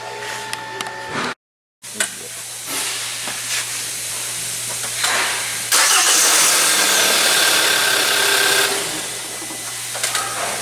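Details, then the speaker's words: Hyundai Elantra GT with intermittent no-start, after contact enhancer applied to connector terminals: short crank, catches at once and settles into a steady idle without stumbling; normal start, fault not reproduced. "so far every time i set a car it always starts"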